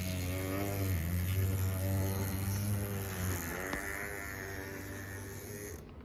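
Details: Atlas U25B model locomotive running incorrectly: buzzy motor whine with a rhythmic rattle about twice a second that fades as it slows; abnormal running noise, cause unknown.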